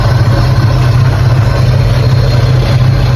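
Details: 1984 Holden VK Commodore while checking ignition timing before paint: steady, even low rumble at idle with no misses, knocks or ticks; normal idle, timing judged about right.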